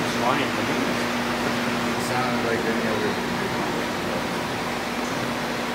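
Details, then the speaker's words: Large hydraulic gear unit used as a motor and run as a pump on a test bench under pressure, with flow dropping little. Steady low whine, constant pitch, no knock or rattle. Larger ones are louder but lack the customer's weird noise; normal. "the these larger ones always are a little louder anyway but it didn't make like that weird noise yeah it's most likely something on their end"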